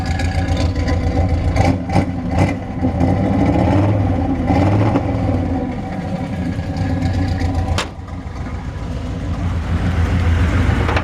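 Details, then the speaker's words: 1964 Chevrolet C10 Custom Cab Fleetside pickup with V8: deep, even burble with a slight lope and steady exhaust pulses, no knocks or misses; healthy idle. "I'm gonna be quiet there for a second let you hear the motor run"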